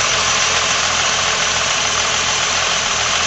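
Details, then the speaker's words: Ford Falcon with a rocker-shaft engine, after the radiator was replaced and coolant added: easy start, then a steady, even idle with a smooth hiss and no knocking or ticking. Sounds quiet. Normal idle. "I check the timing just as a fuel air mixture with heart rate a little make them sounds pretty quiet"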